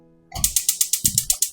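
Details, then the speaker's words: 2026 KZ Durango Gold 366FBQ fifth-wheel RV stove, oven burner being lit: sharp, evenly spaced igniter clicks about eight per second, which change once the flame lights after 15–20 seconds; normal ignition. "press over to the flame on the top, and then you'll hear hear the clicking change. typically takes 15 20 seconds."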